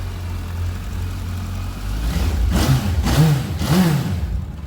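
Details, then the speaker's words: Suzuki Bandit 1250 S motorcycle with 7,686 miles: even idle then two quick clean revs up and back down, no knock or rattle; healthy. "Fire it up nice and smooth. Just give it a quick rev."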